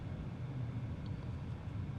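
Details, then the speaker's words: Chery Tiggo 7 Pro Avantgarde, cabin while cruising: steady low road rumble under soft even air-conditioning fan hush, no knocks, whines or rattles; wheel noise believed to come from the tyres; normal quiet cabin. "Burada da yine lastikten kaynaklı gelen bir tekerlek sesi olduğunu düşünüyorum"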